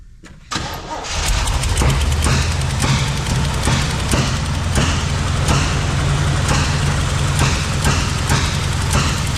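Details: Abandoned 1971 Chevy K-20 350 V8 after 15 years sitting, vacuum ports plugged, given starter fluid: runs lumpy with irregular sharp exhaust pops and uneven beat; owner suspects a burnt valve; misfire and backfire.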